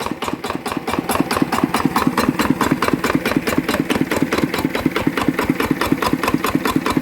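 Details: Yanmar TF85 walk-behind tractor diesel after fitting a new injection pump plunger and injector, water seen leaking: crisp even thumps about two a second, nothing knocking or rattling; healthy steady idle.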